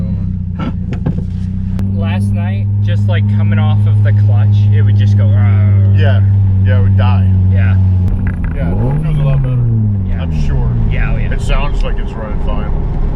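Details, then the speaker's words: Supercharged Toyota Yaris autocross car at SCCA Las Vegas: after track heat took out the MAF sensor and hammered the supercharger, it holds a steady idle with a clean rev blip and no stumble. It sounds back to normal; the owner suspects fuel and debris in the throttle body. "It sounds back to normal. I think that little bit of breakup, I mean, I probably have so much gas in my throttle body from that and debris."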